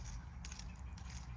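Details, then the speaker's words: Skoda Fabia 2 estate bought as scrap, removed accessory belt idler pulley spun by hand: dry, gritty rumble with rattly ticks; idler bearing worn out, both pulleys the same, belt also cracked. "Both a little bit. That's knackered. Yeah, they're knackered. As the other one sounds the same."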